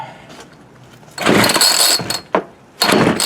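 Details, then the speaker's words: Homelite D3850B chainsaw with a new carburetor and fuel kit, cold start at about 19°F. It gives short raspy bursts that die between pulls, and is flooded with fuel coming out of the carb. Brief firing then stall. "Alright. Flooded her that time. Boy, she's rolling out of the carb."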